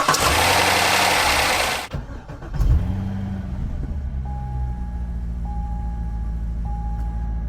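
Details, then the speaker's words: C6 Corvette with 250,000 miles, after replacing old battery terminals that caused high resistance and voltage drop: brisk strong crank that catches fast and settles to steady idle; starter getting full power, normal cranking and start. "We installed them, and now the car cranks over like this."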